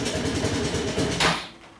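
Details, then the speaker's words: Honda Helix CN250 250cc scooter, salvage auction purchase, cold morning start: runs lumpy and uneven for about a second, then cuts out abruptly; rough running, owner suspects bad old gas. "oh yeah definitely might be having a problem that's probably the bad gas to be honest"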